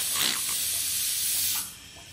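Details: Intake pressurised with compressed air from a compressor while hunting boost leaks, leak found at a tee fitting by air bubbles: sharp airy hiss in bursts; boost leak.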